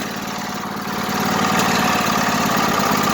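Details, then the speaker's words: 1998 Craftsman LT1000 lawn tractor just after a hard start, with fuel in the tank: uneven, lumpy chuffing at about 220 pulses a minute that swells as it settles. Owner says something is going on with it; rough running, cause unclear. "There's definitely something going on with it. Yeah, because it does that sometimes."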